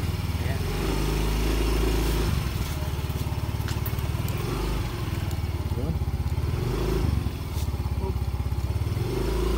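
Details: Yamaha Mio i125 scooter idling after DIY fix of body part that knocked and vibrated: steady even putter, no knocking or buzzing from panels; rattle gone, runs healthy.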